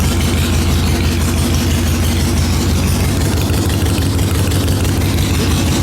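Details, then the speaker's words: 2003 Harley-Davidson Sportster XL883 Hugger, first start after 10+ years sitting, fuel drained, carburetor pulled: deep even V-twin lope at steady idle, about three beats a second, no misses or knocks; healthy. "This 883 sounds good. Holy crap. Man, this thing sounds good. I'll tell you what, you ride this bike, you got nothing to be ashamed of. This bike sounds good."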